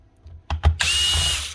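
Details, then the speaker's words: Dewalt DCS367 Type 10 reciprocating saw, something rattling inside: a couple of clicks, then a short whirring burst under a second with thin whine; motor struggling to run, owner suspects something jamming it. "Well, she's not running. Totally dead. You're not totally dead. Motor's struggling to run. Maybe something's jamming it."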